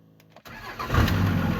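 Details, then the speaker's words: 2002 Dodge 24-valve Cummins diesel with intermittent no-start and "no bus" error: short crank, then it catches and idles steadily with an OBD scan tool plugged in; unplugging the tool kills the engine; cause unknown. "wait for a second flashing at me no bus truck will not start"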